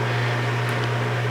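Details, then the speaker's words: Old refrigerator that came with a 120-year-old house: loud, steady low hum drones on without letup; the fridge runs noticeably noisy. "this is the fridge that came with the house wow that's an old one yeah it's noisy too hear that it is noisy"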